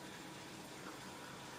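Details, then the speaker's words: Orca water-cooling loop newly filled with coolant and bled, pump running after earlier air locks: quiet pump hum under constant watery gurgle and trickle; air bubbles still circulating in the loop. "I can definitely hear there's a lot of air going around now."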